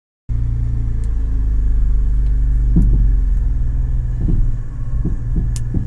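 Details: Ashok Leyland Dost CNG: steady low engine idle with a few irregular dull clunks every second or so, likely as the steering wheel is turned; steering noise problem.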